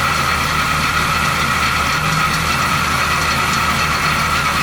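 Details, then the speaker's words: 1970 Chevy C10 small-block 350 with recently replaced water pump, at idle: constant rubbing hiss and thin whirring rotary noise on top; suspected from the water pump pulley, cause not confirmed. "it definitely has some kind of rotary noise it definitely sounds like it's time from the water pump"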